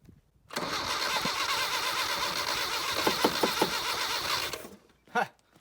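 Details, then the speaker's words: 1978 Datsun 1500 Ute GN620, stored about 20 years, new carburettor, on jumper pack: steady starter whirr about four seconds with even churning beat, never catches; cap left on top suspected choking it, cranking without starting. "some idiot has left the cap on the top she's probably choking flat out let's get that off and see if she'll fire up"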